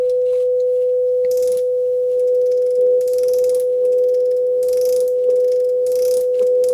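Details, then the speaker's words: JVC VN-300 vintage receiver, powered through a bulb limiter, test-tone generator on AUX 1: steady pure mid-pitch tone with no crackle, hum or dropouts; channel passing signal cleanly. "No okej, ruszyło, jest bez problemu. Już nic nie trzeszczy, nie szumi, także chyba będzie dobrze, nie?"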